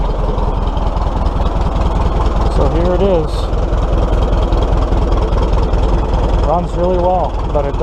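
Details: Old tractor engine with 150 psi compression in all cylinders; owner guesses worn valve guides: steady, even low thumping with no misses or knocks, settling and running smoothly; normal running.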